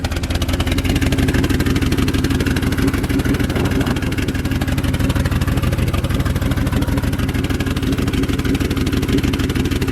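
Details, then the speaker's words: Turbocharged Mercury Marauder V8 whose engine had locked up from salt water, stalling whenever throttle is tapped. A deep idle ticks over with a slight lope and no knock heard now: rough, unsettled idle. "All right, let me see if I could do something to get it to idle. No, every time I tap the gas, it just turns off."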